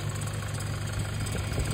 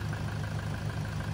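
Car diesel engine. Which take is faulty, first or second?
first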